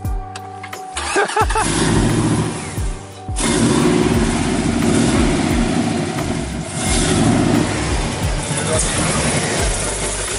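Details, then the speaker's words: 2008 GMC Sierra started on a borrowed battery with the mass airflow sensor missing. The engine cranks, catches, and settles into an uneven, lumpy run, as expected with no airflow sensor: rough running. "oh i knew that was gonna happen there's no mass airflow"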